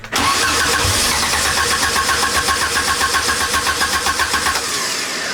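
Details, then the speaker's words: Vintage vehicle on a jump, battery dead and leaking: steady cranking about four turns a second, never fires. Fuel gauge reads empty, suspected as the reason it won't start. "Does it got gas in it? It says it's empty. >> I'm going to put a little extra in it. >> That's probably why it's not ready, Westy."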